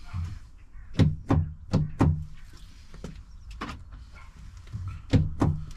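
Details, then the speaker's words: 2006 Range Rover Sport L320 door: short clunking actuator motor bursts at each lock/unlock press, but the latch doesn't move; owner suspects the lever to the motor is disconnected or needs adjusting, unconfirmed. "so if I close it now if I unlock this it doesn't come out but I can hear it making a noise down here"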